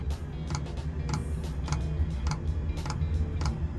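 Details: 1973 Volkswagen Type 2 bus camper, newly installed fuel-fired heater at start-up: fan starts, then light, regular clicking roughly twice a second over low fan hum; heater fuel pump metering normally.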